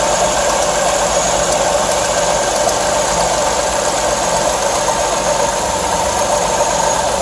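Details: V6 car idling with a steady whirring whine that doesn't let up; mechanic diagnosed a worn water pump and serpentine belt, to be replaced with a pump kit, new belt and coolant.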